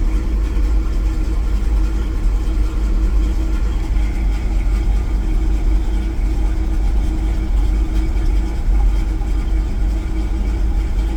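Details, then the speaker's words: Truck with recently replaced distributor, from cold start, no catalytic converter, knock count 27 with new knock sensor: deep V8 idle, uneven lumpy beat with slight hunting and shaking; misfire suspected, cause not found. "Okay and it does Shake certainly shakes"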